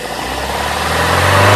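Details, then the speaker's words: Toyota Kijang Grand, 5K 1500 cc carbureted engine with 100/100 fuel jets, after carburetor setting: revs climb smoothly and spontaneously from low to high with no stumble or hesitation, fixing the earlier lag and RPM dip on acceleration. "ini, ya, RPM stabil, tidak ada jeda, tidak ada keraguan pada mesin, putarannya naik secara spontan dari bawah ke atas begitu saja ."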